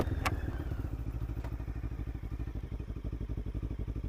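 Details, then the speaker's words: Lexmoto LXR380 with a new aftermarket exhaust and ECU system, stopped and idling: a low, steady thumping beat with no stumbles, rattles or hunting. It revs up nicely. Normal idle. "So I'm going to stop, and you can hear the engine idling."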